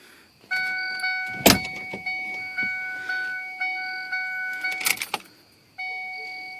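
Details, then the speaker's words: 2003 Ford Focus no-start: key turn gives a repeating chime and a couple of clicks but the starter never engages. The security light flashes as normal and dashes show on the mileage gauge; no crank on key turn. "all right guys pass light flashing like normal dashboard this is what it does when I stick the key in and try to crank"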